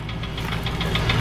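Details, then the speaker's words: Land Rover Discovery 3.9 V8, rebuilt with top-hat sleeves 40,000 km ago, clean oil and good pressure, idling; sharp knocks about six or seven a second, loudest recorded underneath; mechanic suspects big-end failure, unconfirmed. "that gives you an idea it just seems louder at the bottom that's why the local mechanic is within the land rover guy seems to think it's a big end"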